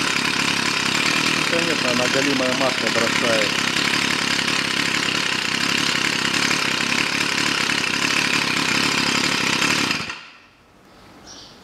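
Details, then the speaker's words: Stihl FS 55 trimmer, warm, after fixing a no-start caused by too much oil in the fuel mix: a steady high-pitched two-stroke buzz for ten seconds without stumbling, then it cuts off cleanly. It runs normally. "причин это было только в масле видать на глазу бахнул больше чем надо новинкам в принципе все вот такая что бывает причина от перелива масло еще раз попробую все работает"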